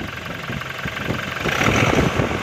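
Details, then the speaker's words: Diesel engine idling after the turbo actuator was rewound, started on the first crank with no check engine light. Steady, even clatter with no misses or hunting. Engine sounds good. Normal idle. "Ang ganda ng tunog ng engine."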